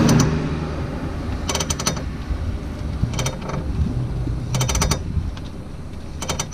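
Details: Worn outer CV axle joint on a 2002 Ford Focus Mk1 estate: bursts of sharp metallic clicks in rapid clusters about every second over a low rumble.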